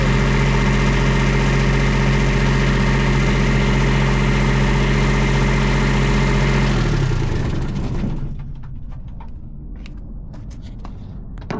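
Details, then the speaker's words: 2019 Wanco diesel light tower, after pre-trip and oil and battery issues fixed: steady even diesel clatter at idle, then winds down cleanly when shut off; runs healthy, works perfectly. "I hauled home a $1,700 2019 Wanco light tower that I paid 1,700 bucks for. Works perfectly."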